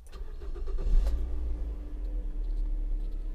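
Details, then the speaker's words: 2005 Mazda 6 after repairing a broken fuel pump power wire with a new soldered wire: brief crank, engine catches within a second and settles into a low, even idle; repair finished, starts and runs properly. "ну в общем ремонт закончился всё работает"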